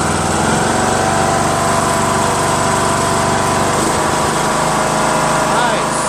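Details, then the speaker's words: Craftsman LT2000 19.5HP lawn tractor engine after valve lash adjustment, which fixed the loud running and front clicking; idles well, quieter, smooth and even with no top-end ticking and no valve cover leaks. "Cool. Idles well. Nice, smooth. No leaks."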